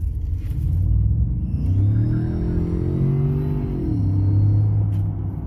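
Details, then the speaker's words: Ford F-150 EcoBoost under heavy acceleration: a thin whistle rising and falling with revs over engine rumble, often mistaken for the turbochargers, caused by a broken exhaust manifold bolt leaking back pressure between engine and turbo. "people mistake this sound from coming from the turbochargers let me show you where this noise is actually coming from"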